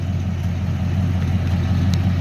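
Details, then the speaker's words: 1963 Mercury Comet S-22 V8 with newly fitted exhaust pipes and MagnaFlow-copy mufflers. Deep, steady burble and even low drone with no misses or ticks; sounds great at idle, though the owner says it is Harley-loud under load. Normal idle. "I took it to the muffler shop, and I think I forgot to tell you guys. I got the pipes put on, got the mufflers put on. Sounds great right now."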